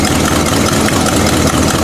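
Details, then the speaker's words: Buick V8 after a new distributor cap, fitted because it had run as if on only four cylinders. Started after sitting, with long cranking and manifold gasket smoke, it runs loud and steady with no stumbles as it revs. Smooth running, no misfire. "But it's running now. Nice and smooth. Rev it up. she's running."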